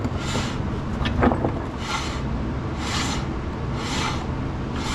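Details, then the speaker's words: 1966 Pontiac Catalina drum brake after adjusting the star wheel, wheel turned by hand: a soft scraping rub about once a second. The new shoes are lightly dragging on the old drum and are expected to wear in. "we've got some grab. Now if I was dealing with a turned drum, then I'd probably consider that too much, but these new shoes on this old drum are gonna wear together."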